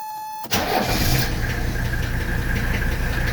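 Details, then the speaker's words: 1985 Mercedes 300D (W123) diesel after general service with new filters, started after glow plugs: brief crank, catches at once and settles into steady diesel clatter without stumbling. "didn't even stumble so we got our new filters in there we are good to go"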